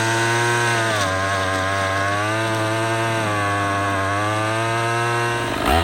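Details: Troy-Bilt TB22EC string trimmer that wouldn't start after sitting, after primer bulb replacement, trimming weeds: high two-stroke buzz holds a steady pitch with slight dips under load, runs clean without bogging; healthy.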